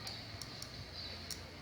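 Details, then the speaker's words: Fluorescent lamp in a home installation, flickering and starting to blacken: sharp irregular crackling pops over a low mains buzz, arcing caused by a faulty socket, not the lamp or wiring; fixed by replacing the socket. "Então, em resumo, o problema era no socket, não era na lâmpada e não era na instalação elétrica."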